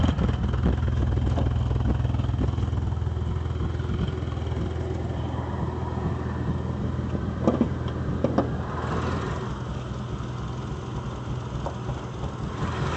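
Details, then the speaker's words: Chevy that just started up idling badly: uneven stumbling, loping idle with occasional dips; owner unsure of the cause. "If I end up starting this right now, you're going to hear it and it's going to idle like real bad."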